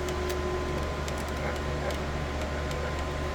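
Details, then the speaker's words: Ace Pro filament feeder loading slot 2, one filament at a time: over a steady motor hum come scattered sharp clunks, one or two a second. "You hear the sound? That's clunking."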